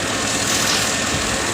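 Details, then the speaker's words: 2006 Chevrolet Avalanche idling with a single-cylinder misfire, rough uneven stumble; scan data shows cylinder 8 misfiring, no coil waveform on 8; coil found loose with its bolt not threading, and swapping it moved the misfire to cylinder 6, so it needs a coil. "you can see clear as day number eight is indeed misfiring"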